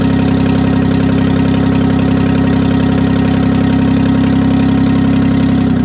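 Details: 1968 Detroit (GM) 3-53T two-stroke turbo diesel, first cold start after total overhaul, engine 4.5°C/40°F, outside -3°C; loud, steady, even idle with deep drone, no misses, stone cold, good oil pressure, no leaks; normal idle.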